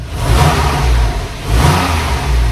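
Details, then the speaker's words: Porsche 991 Carrera S after replacing the solenoid: starts, then two smooth muted revs rising and falling evenly with soft low exhaust note; quiet start-up mode working normally. "Solenoid fitted, start her up, Ollie. So they start up in quiet mode, so give it a"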